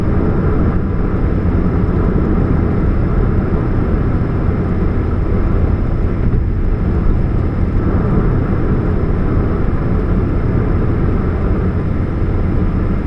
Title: What's that Humming Sound, Catalytic Converter Leak, 2013 Chevrolet Spark, 29 July 2015, GP049051